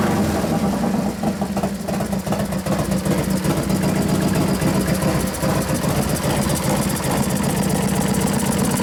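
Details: 1993 Harley FXR Evolution 89ci stroker, new build first start-up: steady loping V-twin idle with even beat and clean firing, no knocks or rattles, sounds pretty damn good; normal idle despite intermittent starter fault (suspected relay) and slightly foamy oil.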